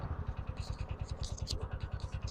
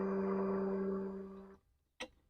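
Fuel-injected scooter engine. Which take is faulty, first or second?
first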